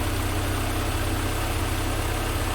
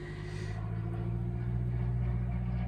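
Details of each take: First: 1988 Mercedes 190E W201 after valve stem seal replacement, started with a fuel pressure gauge fitted reading control pressure around 4.4 to 5: low, steady, even idle with no misses or knocks; running smoothly. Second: Cold-day cranking of a 1988 Mercedes 190E W201 after its valve stem seals were replaced: steady starter churning for six seconds, but it never catches. The owner later suspects an empty fuel tank; a manifold pipe had also been left off.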